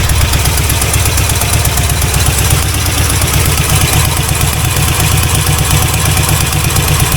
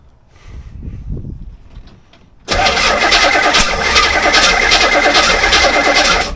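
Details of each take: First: C4 Corvette 350 V8 freshly reinstalled after rod-knock repair: steady even idle with a smooth exhaust beat and no knocking. 45 lbs pressure, running really rich, timing still way off, not charging; normal idle. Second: C4 Corvette 350 V8 after engine reinstall: quiet cranking then a loud ragged blast of popping and spitting that never runs; owner suspects timing 180 degrees out or not enough fuel; backfire during cranking.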